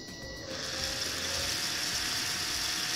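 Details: Arduino Bluetooth robot car DC gear motors driven by PWM via HC-05 phone control, speed raised from 0%: thin electric whine climbing in pitch with speed, light gear buzz; motors running normally.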